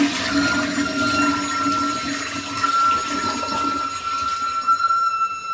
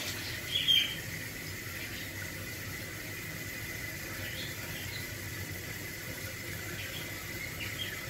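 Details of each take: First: Toilet tank refilling after a flush: steady high siren-like squeak/whistle over a lower hum, possibly lasting about a minute; owner suspects the fill valve, since touching it stops the noise. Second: Toilet after fill valve fix: soft steady hiss of water refilling the tank with no whistle, squeal or chatter, fill valve shutting off quietly; noise gone, normal flush and refill.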